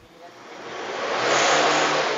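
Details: Isuzu MU-7 diesel with black smoke and sluggish running, later fixed with injector cleaner and injector servicing: engine revs smoothly with a rising roar over two seconds, then eases off. Smoke itself not audible.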